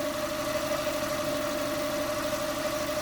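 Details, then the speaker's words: Mazda 323F after an idle fix and attempted base idle reset, with the diagnostic test port grounded then removed: smooth, even idle with a steady hum and no stumbling or hunting; much better than before. "that's certainly sounding much better than it was"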